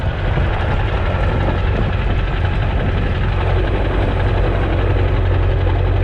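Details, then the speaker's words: Ford 7.3 Powerstroke diesel, essentially stock with exhaust only, after fitting a rebuilt upgraded larger later-model turbo replacing one that failed noisily; warming up at idle: deep, steady, even rumble with no knocks; normal healthy idle. "We're letting the truck warm up here. I'm gonna give it a little bit of gas when I leave here, and we'll see how she performs."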